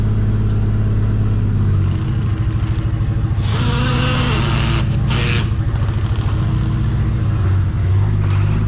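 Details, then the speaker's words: Nissan GTR started after sitting a very long time: heavy, lumpy low rumble with uneven beat and hiss bursts; rough running, something major wrong; owner nearly sure of cause, plans to pull engine and turbos. "as you can tell as you can hear uh there is something major major wrong with the uh gtr"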